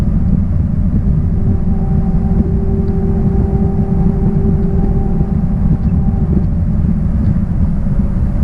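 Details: 1966 Triumph Spitfire, rebuilt 1147cc four-cylinder, driving after fuel system stripped and lines flushed: strong, even low drone with steady tones as it pulls hard; smooth and healthy under load, no misfire.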